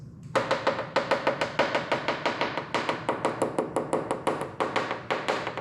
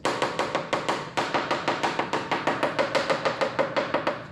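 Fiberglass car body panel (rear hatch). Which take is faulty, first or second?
first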